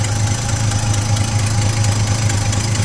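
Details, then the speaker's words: 1972 Chevy C10 pickup V8 after new distributor, coolant filled: steady, even idle with a low rumble and no ticking or knocking; engine sounds healthy. "I got radiator fluid in it, coolant, whatever. It's in there. Sounds good. I don't really hear any ticking, but my hearing is not all that great."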